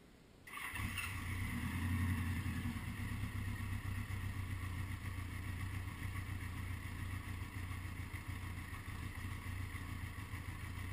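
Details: 1980 Honda GL1100 flat-four after a rebuild, slightly cold start at 54 degrees with carbs synchronised; engine catches and settles into a steady, even low idle with no misses or knocks, a healthy cold start.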